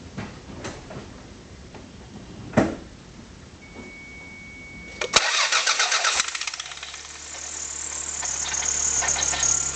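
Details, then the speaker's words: Stock 1991 Toyota MR2 Turbo, cold start after sitting for days: harsh metal-on-metal scraping over the idle; owner suspects the turbo compressor wheel rubbing its housing because of shaft play, not the belts; background clicking is an exhaust leak. "So 91 MR2 turbo making a pretty bad, strange noise. It's usually on warm up."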